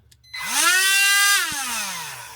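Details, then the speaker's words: Dremel-type rotary tool used to cut a Jaguar MKII transmission tunnel edge, which collapsed with a bang, damaging the cutting wheel and bending the shaft: motor whines up to a hard, buzzy, harsh high pitch, then winds down. "That noise you're hearing is the fact that it bent that shaft. Yes, bent it."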